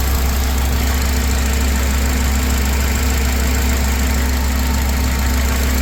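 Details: 2004 Honda Accord engine at steady, even idle after replacing the failed ignition coil with a spare, no misfire or stumble; check engine light out, slight hesitation but now smooth. It had run rough, then would not start.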